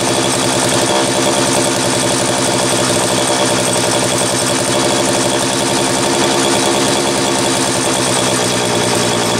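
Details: Homelite 330 chainsaw test run after intake boot replacement, the only fault found: buzzy two-stroke note held at a steady speed without cutting out or bogging; normal running.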